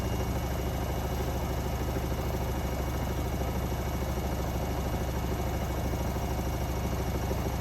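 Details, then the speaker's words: Hotpoint WMA58S washing machine, colourfast cotton 60°C mini load, spinning up toward 1200–1400 rpm: loud steady high-spin drone with a rhythmic thump two to three times a second and a bang; load only slightly unbalanced. "Bang! Not too unstable. No, it's not. But it still sounds like it is. That's what I don't like."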